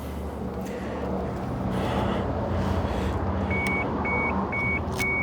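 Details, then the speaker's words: 1995 Mitsubishi FTO GR not run in 10 years, rebuilt ignition barrel, key on, engine not started: four evenly spaced bright bleeps about two per second, the door-open warning chime. "keys in. It's bleeping because it sees the doors open."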